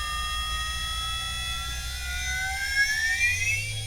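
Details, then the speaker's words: Standard 50 Hz induction motor on variable-speed drive overspeeded toward 400 Hz, stalled from low torque: thin electrical whine climbs as drive drops to 200 Hz and enough torque returns to bring it back up to speed. "And then 200 Hz, we produced enough torque to get it back up to speed."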